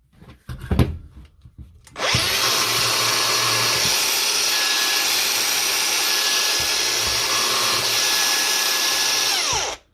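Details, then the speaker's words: Power tool after a burr was tapped free and it was reassembled: quick spin-up to a steady high whine held about eight seconds with no grinding or rumble, then a clean wind-down, running free and smooth. "we just put it back together and see if she sounds any better [Music] moving pretty free now"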